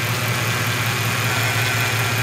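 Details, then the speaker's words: Mercedes CL500 (bought for 2000€), idle after belt fitted: constant high whine over the engine note from the front of the motor; the pulley no longer wobbles, and the specialist believes the noise is the water pump. "Aber ich glaube nicht, dass dein Geräusch weg ist, weil ich meine, es ist die Wasserpumpe. Aber starte mal. Also, für mich ist das die Wasserpumpe."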